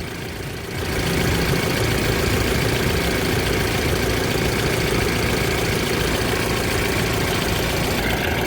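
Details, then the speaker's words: Mahindra Bolero Pickup diesel after fixing a starting problem, code P025100 (fuel metering unit open load) from a loose wiring connector; connector repaired, code cleared, engine catches and idles with steady even clatter, normal. "देख सकते हैं हमारी गाड़ी हो गई start और इनका जो कोड आया था वो कोड भी क्लियर हो चुका है।"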